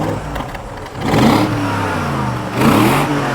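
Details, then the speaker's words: Broken nearly 20-year-old BMW X5 (X5iS) V8 blipped from idle: rises smoothly twice and settles back cleanly, no knocks or misses; healthy free-revving engine. "dude there's some more heating you want a bigger rev hell yes yep"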